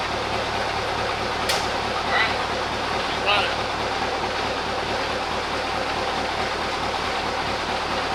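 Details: Mack CL713 truck, pre-emission V8 998 cubic inch diesel with Mack 13-speed, after winter repairs, idling in the shop: deep, even rumble holding steady with no misses, knocks or surging; sounds healthy.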